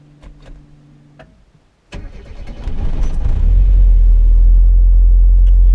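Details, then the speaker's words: Mazda MX-5 after fitting 40% stiffer I.L Motorsport engine mounts, cold start heard from inside the car: cranks, catches cleanly and settles into a steady deep idle at 1100 RPM, much quieter than before. "bearing in mind the car is still cold, it's idling at 1100 RPM, and yet you can hear me, I hope. It's much quieter and just way better."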